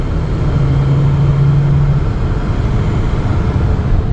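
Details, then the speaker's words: 2013 Chevy Cruze 1.4 turbo test drive after catalytic converter repair, no check engine light; steady low drone pulling evenly as speed builds, no stumbles, misses or knocks, accelerating normally. "well it's accelerating like it should"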